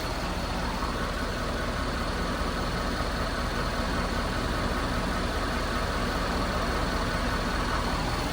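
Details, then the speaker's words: Engine warming up at idle during a pressure check, pressures dropping slightly: steady idle with a constant airy fan roar that steps up in speed; cooling fan engages normally. "I can hear the fan changing. Yeah, it just kicked on a little higher."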